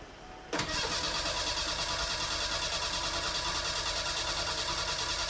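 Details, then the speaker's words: Merkur XR4Ti after engine swap, first start attempt after months of work with exhaust just fitted: starter cranks engine with an even quick chugging rhythm but it never fires; oil pressure light goes out while cranking, chunks found in fuel line, old gas suspected. "the oil pressure like goes out when it's cranking which is a good sign got oil pressure"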